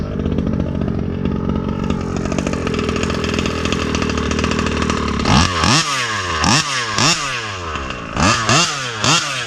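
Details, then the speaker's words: Rovan 36cc two-stroke with Victory big-bore pipe, started without choke: crisp, low idle then sharp clean rev blips with plenty of bottom end; healthy, free-revving engine. "sounds badass. See where my idle is. Pretty low."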